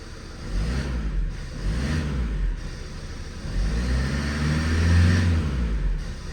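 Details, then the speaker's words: Project van's diesel: the rumble swells and falls with throttle blips but the sound lags each pedal movement; owner suspects the intercooler, unconfirmed; delayed sound response to throttle. "sounds a bit weird when you lift up off like when you when you put the throttle down there's like a delay like like a sound delay which is really unusual I've not come across that"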